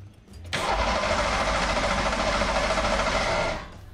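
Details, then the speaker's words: Ford SHO engine (Ford Shogun build) spins on the starter about three seconds with uneven, lumpy rhythm and heavy vibration; motor mount suspected, cause not confirmed. "that does not sound good I don't know why but it just doesn't it's got a real bad vibration to it"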